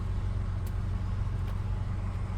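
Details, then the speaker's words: 1998 Ford Explorer, sat five years, after cleaning the idle air control valve to fix a 2000 rpm high idle: now a steady, low idle at about 1000 rpm with a faint screech and small clicks in the background. "That sure did calm the engine down. I do hear a little bit of that screeching noise. Hear it? But the idle is back to normal."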